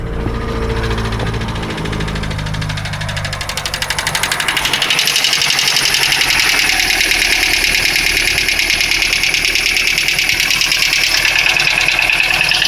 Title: Стук двигателя на холодную Ланос 1.5